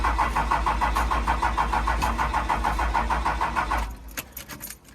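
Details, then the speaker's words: 1997 Dodge Ram 2500 4x4 with a worn, high-mileage 5.9 12-valve Cummins, unstarted for a year: steady starter cranking at about three turns a second with no firing; won't start, out of diesel and lost its prime. "hold that Ain got no gas in it actually it doesn't even have diesel in it oh oh hear it making noises so I guess if you let it set for a year she loses some prime"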